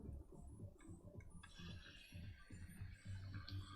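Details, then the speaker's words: A refilled AIO liquid cooler pump, which earlier sounded like a bust bearing or dry, now gives an uneven low gurgling rumble with loose rattly bursts. It sounds less bad with fluid but is still rough and may need to settle. "now it's got fluid in it it sounds less horrid still not great yeah i think we needed to bring these more"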